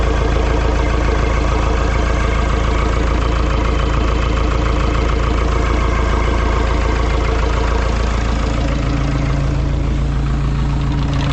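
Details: Ford 2701E 4-cylinder 240 CI diesel (IEL 242DF) on a grapple log loader, first start after sitting about 15 years on 15-year-old fuel: deep, even chug about 3.5 beats a second, steady with no misses; healthy idle.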